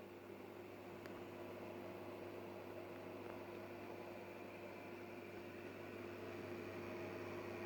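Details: Fluval FX6 canister filter after installing foam underneath to eliminate vibration: steady low motor hum with faint even whir, no rattle or buzzing; running quietly and smoothly.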